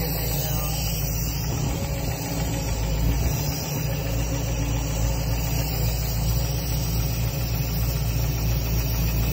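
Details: 1966 Mustang Fastback with new Ford Racing BOSS 347ci crate V8, warm idle with fan on, about 40 psi oil pressure: deep rumble with uneven knocking in the low end; shop suspects internal, unknown origin.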